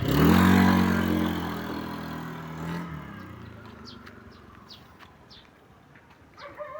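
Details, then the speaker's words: Honda Beat V1 110 scooter after crankcase bearing replacement, which cured a loud knocking from the belt-drive (CVT) side: engine revs smoothly and winds down evenly, no knocking; sounds like stock, normal running. "wala na yung tukok tok tuktok >> wala na wala na tukok >> normal pa."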